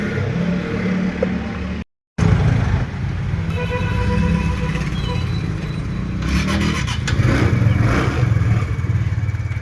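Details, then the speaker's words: TVS Ntorq scooter after fixing a loud engine noise from the one-way clutch by properly fitting its nut: even, steady engine note with no rattle or knock from the drive side. The noise is fully gone and it runs normally. "जैसा कि यहां पे हमने जो है इसकी आवाज को जो है पूरी तरीके से बंद कर दिया है।"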